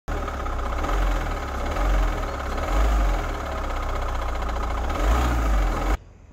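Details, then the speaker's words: Van engine whose noise has been getting worse over a couple of days: a deep thumping surge about once a second over the idle. Crank pulley found worn. "a couple of days ago i noticed the car started making some noise and it's slowly been getting worse and worse so i decided to investigat"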